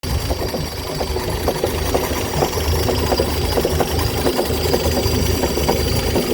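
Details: 1958 Chrysler Crown Special M-47S marine petrol engine, completely rebuilt two years ago, idling with a sharp, irregular clucking knock about twice a second over its low rumble; it still runs smoothly and the cause is unknown.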